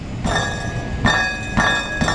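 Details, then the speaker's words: Vehicle with aftermarket catalytic converter, owner reports a new weird rattle: sharp metallic clinks in short bursts, about four in two seconds, like loose pieces inside; previous shop blamed the cat, broken-up substrate suspected. "he said i hear a weird rattle now and uh the people that changed my all said it was the cat"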